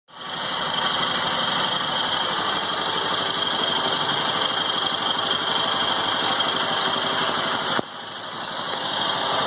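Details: 2018 Honda Titan small single with only 1,560 km: runs steadily with a sharp, high-pitched mechanical rattle over the idle that appears only when the engine is hot, after long use; source not identified.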